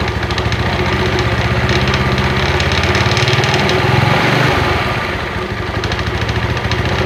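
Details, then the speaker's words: Yamaha Mio Sporty idling: uneven light rattle at low throttle that disappears at higher revs, from a badly worn front pulley roller housing and bushing in the CVT. "oke suaranya kalau di gas tinggi hilang kalau gas awal kecil itu bunyi langsung cek aja Bongkar"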